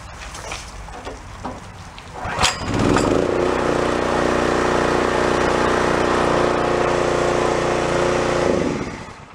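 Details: Pressure washer small engine with pull-start kickback, after tune-up and valve clearance adjustment: some handling clatter, then steady even note under spraying load for several seconds, winding down cleanly: normal running under load.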